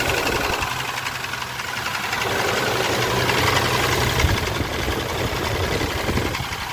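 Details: Mitsubishi Pajero 6G75 V6 idling with a fairly regular knock near four a second, steady over the engine note, pointing to a worn rod bearing; rod knock.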